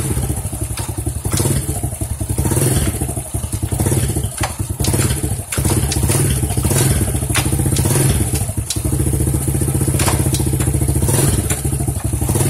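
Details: Honda C-series motorcycle after clutch work and oil change: steady even thumping idle, no rattle or clatter from the clutch side, sounds healthy and settled.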